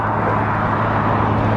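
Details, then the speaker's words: Honda Grom on road trip after breakdown fixed by replacing ignition coil (CDI and rectifier changed first): engine pulls with even continuous note under wind and road noise while riding, no stumbles; firing cleanly again. "Oh yeah, sounds good again. That's good."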